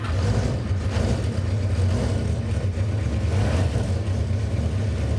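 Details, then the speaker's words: 1977 Honda CB400 Four cold start, fast-idle (choke) setting altered, fast idle cam suspected bumping idle: lumpy, uneven low rumble with no steady beat, possibly not on all cylinders. Uneven running on cold start. "I messed with the choke settings so that's why the confusion on the starting there when I say choke I mean the fast idle"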